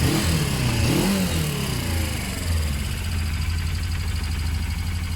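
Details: Project motorcycle on its current quieter exhaust, lighting up easily: revs up and down, then settles to a steady, even beat with no misses or knocks. Owner says it now runs perfectly.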